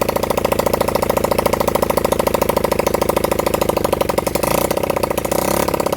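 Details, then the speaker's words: Honda CB100N motorcycle first run in over 20 years, on a half-flat battery: quick single-cylinder putter at idle that stumbles and goes uneven; rough running. "Gone again with ignition. As you can hear, we had a pop out of it."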